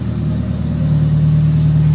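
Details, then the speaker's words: 1995 Toyota Celica four-cylinder with stock heads, new spark plugs and new plug wires likely replacing old burned ones; smooth, steady idle with even low hum, clean tone rising slightly, no miss, sounding better; normal idle. "The car even sounds better though with these new spark plug wires."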